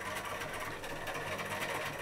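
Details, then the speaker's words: Hermes Model 505 electric typewriter (c.1978), old with replaced modified sewing-machine drive belt, running: steady even fan-like hum from its AC induction motor, noisy but smooth with no knocks. "it's it's the reason why it sounds like an old electric fan is because it has got a um ac induction motor in which is more commonly found in the um electric fan not more like a um"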